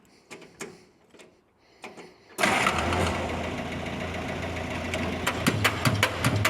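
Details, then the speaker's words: 1946 Jeep CJ2A with a clutch that won't disengage, started in third gear, high range. Starter spins the engine steadily for seconds but it never fires. Fuel starvation: no fuel reaches the fuel filter, and the new lever-type fuel pump doesn't seem to be pumping. "Look at that. Our fuel filter is not getting fuel. What the heck's going on here?"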